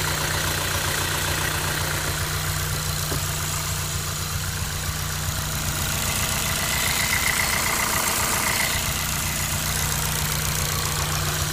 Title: Ticking noise (engine bay)